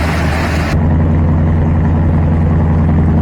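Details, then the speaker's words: Carbureted truck V8 tuned for winter cold operation, choke about 3/4 open and opening: deep even burble cresting smoothly to estimated 1200 rpm fast idle, no misses or knocks; properly operating choke, normal fast idle. "almost there you can hear it it's just uh cresting up a little bit further nice and smooth I'm going to estimate about, 1200 RPM maybe 15 probably 12"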